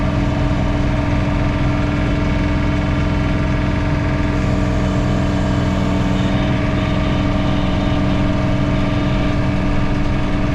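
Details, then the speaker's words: John Deere 3 Series tractor snow blowing in high range by mistake; steady low engine drone with a humming vibration that changes pitch and tone with rpm. Source unknown; owner hopes it is not a bearing. "so while you're watching the video i have a vibration that i hope is not a bearing that you can hear in the background of the tractor and it definitely changes pitch and tone with the rpms of the tractor"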